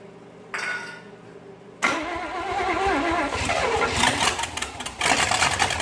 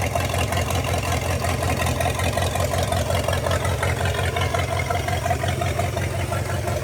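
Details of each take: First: 1956 small-block 265 V8, bought non-running, fed fuel from a bottle after timing adjustment: after starting, note wavers and stumbles unevenly instead of settling; rough running, owner suspects spark plugs or wires, believes it is mechanically fine. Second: Non-running 1956 265 small-block V8 bought used, now running off its carburetor with a working fuel pump: steady, even low idle rumble with no knocks or misses. Oil pressure not yet confirmed. Normal idle.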